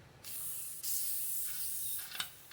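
A strong steady hiss of escaping air when the cap opens, then fading: the pump is building pressure properly.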